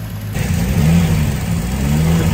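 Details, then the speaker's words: BMW E36 turbo after alternator refurbishment and timing tensioner replacement: engine revs up and holds a smooth, deep drone without tick, chatter or rattle; earlier noise faded once the system purged itself. "c'est bon je pense que c'était ça fallait le temps qui se purge et tout yes donc c'est reparti"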